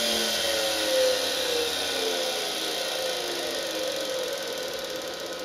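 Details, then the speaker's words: Washing machine universal motor that drives a lathe, running free with belts off, making a loud, rough high-pitched whir; the spindle is quiet, so the noise is traced to the motor. "and there's the answer right there it's all down in the motor because these are you know they feel great these bearings"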